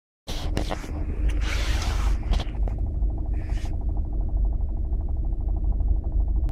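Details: New Kia Optima engine: steady fast light ticking over a low engine hum; knock of unknown cause, which the official dealer claims is a normal engine characteristic.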